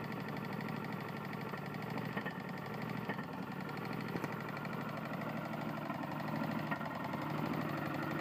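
Small engine running with a dull, somewhat uneven knock about once a second under the steady drone, pointing to a worn connecting rod.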